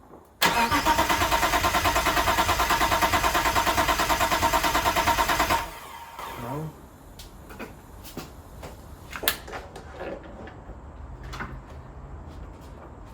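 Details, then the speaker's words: Mitsubishi GTO twin-turbo, first start after self-done engine rebuild and 3 years off: starter turns the engine evenly about three times a second for five seconds without firing; crank no start, suspected relay/jumper issue. "it's not starting at all let me check that jumper oh it's the two outer ones the bigger ones I think I jumped last time"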